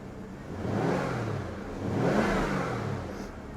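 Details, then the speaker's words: Jaguar XK8 with a prior no-start, running on a borrowed battery after fresh fuel; two smooth throttle blips rise and fall cleanly from idle with no stumble, engine takes throttle well. "Can it cope with any throttle whilst it's running? Here we go. Yeah. In fact, it sounds good."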